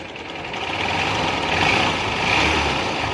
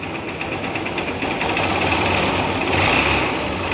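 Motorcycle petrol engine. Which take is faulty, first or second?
first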